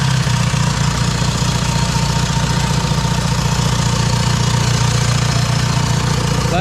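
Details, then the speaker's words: VW Mk1 Caddy pickup TDI diesel after installing larger injector nozzles, fuel lines not bled; even cranking chug about four beats a second lasting long before firing, hard start from air in injector lines, then runs without bleeding. "what we're just going to do is just crank it until it starts just double checking all the lines now everything seems tight just go ahead and crank"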